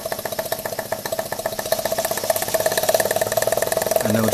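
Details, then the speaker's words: Scratch-built UK double-acting uniflow-type steam engine, piston valve with central cylinder exhaust, Stephenson's reversing gear with fixed eccentrics, running hot on a Stuart 504 boiler: crisp even chuffs about four per second, quickening with more steam; normal smooth running. "I'll just find the sweet spot in the gearing. Hear that? Reverse it again. There we go. And the other way. Packs a serious punch."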